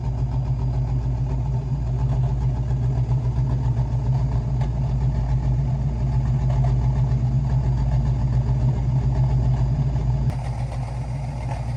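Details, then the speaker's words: Restored Dodge Challenger V8 with new exhaust through factory split tips, idle lowered about 200 rpm from too high: deep steady burble with even lope, no knocks or misses; idle settled and healthy. "hat i've corrected that this thing sounds so much better you can really hear that tone from the factory challenger exhaust tips how they're split right in the middle"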